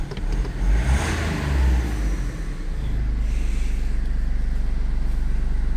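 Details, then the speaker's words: BMW 2 Series F45 that wouldn't start or started only for seconds then shut off, after repair and reassembly: catches promptly, brief rev, then steady even idle with no misses or knocks; normal start and idle. "Let's try. Start one more time. And yes. Starting."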